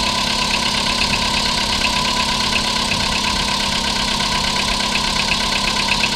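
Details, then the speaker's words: 2011 VW Polo Sedan at 25,252 km, idling after a start: sharp metallic ticks, about three a second, over a steady idle; the knock was also audible at startup, and its source is unclear. "Вы слышите этот металлический звук? Да, я слышу."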